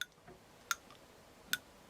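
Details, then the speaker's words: Lee Factory Crimp Die used for 38 Short Colt, stem bottomed out: light sharp metallic clicks about one every 0.8 seconds as the die moves; the crimper has free play that rattles and keeps the case from being crimped. "do you hear that rattle in there if you get rid of that play then the round will go up there and get crimped because the reason it's not getting crimped is because the case goes up and the crimper goes up in that play and there's no stopping of that play with the stem"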